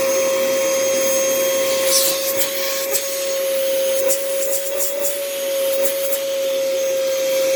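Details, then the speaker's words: Thrift store canister vacuum: steady high motor whine with slight wavering and scratchy rough edges; motor needs work but still produces suction. "hmm well this motor needs some work as well but there is suction the machine is working"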